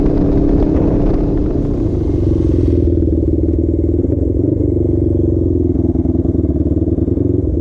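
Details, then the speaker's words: Custom Suzuki GS450 scrambler twin, warm, hot day ride: ragged uneven beat dropping into rougher stumbling as it breaks up under acceleration and fluctuates; earlier hung idle at 3000 rpm; later traced to dying ignition coil. "this thing's start to break up a little bit I don't he's still low but he had a couple times were sort of fluctuate"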